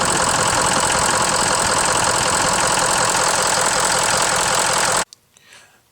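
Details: 2004 early-build Ford 6.0 Powerstroke diesel with valve covers removed, after sealing a high-pressure oil leak at an injector inlet that caused hot no-start; even, steady idle clatter without misses or surging, then clean shutdown.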